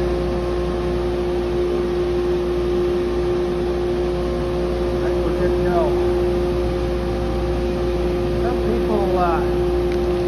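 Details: Wood-Mizer LT40 sawmill with sawdust blower/collector, cracked elbow just repaired with duct tape. Loud, steady engine and blower drone with constant hum, no rattle or surging; normal running.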